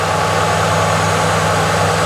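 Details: 1968 Ford Torino V8 with an added electric fuel pump, settling from start-up to idle. A smooth, steady low rumble with no misses or knocks as it idles down where it should: a normal idle.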